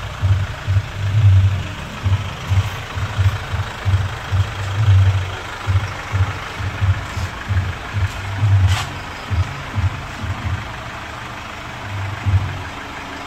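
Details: Chevrolet Captiva FL diesel turbo with rough, lumpy idle, heavy pull, smoke and snoring; suspected causes turbo/VGT path and injectors not optimal; fix: turbo and fuel line cleaning, turbo hose and original cartridge restored, injector service.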